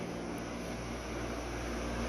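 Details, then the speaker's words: Waste-oil shop furnace (Clean Burn), burning about a gallon an hour at full tilt, switched off: the burner and pump have cut out and only the fan runs on to cool the unit, a steady rushing hum, which is a normal cooldown fan run. "you can hear the burner just kicked off and the pump now is kicked off so just a fan is running to cool the unit"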